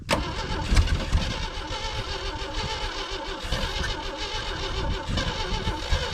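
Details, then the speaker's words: 1980 Jeep CJ7 (possibly CJ5) with 258 inline-six, sitting 20 years, choke closed: heavy uneven cranking with near-catches that never run; dies once external power source removed, something missing in ignition; cranks but no start. "it has enough to crank it but as soon as I take that away it stops and that's because there's something missing in the ignition"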